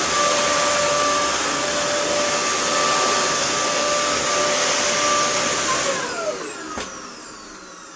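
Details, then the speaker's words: Dyson DC41 motor head, fitted to test whether the motor works. Screaming high whine with a rough, gritty roar that drops away as it spins down: loud harsh motor noise, cause unconfirmed. "Well, yes, it works, but my goodness, does it sound absolutely terrible."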